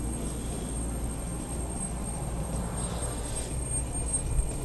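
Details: Fire department Revolver SCBA air system filling bottles toward 4500 lb from cascade bottles: steady, even rush of air with no surges or stutters. Normal cylinder filling airflow.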